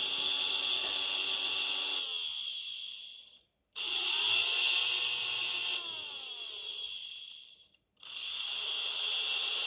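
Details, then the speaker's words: Vintage 1960s Veron Caribbean Coaster model boat electric motor with prop shaft, run on a 7V LiPo after oiling: high whine runs forward, then restarts at lower pitch in reverse, about half the forward speed; reversing lever fails on a 6V battery. "you can hear that the reverse is about half the speed of the forward"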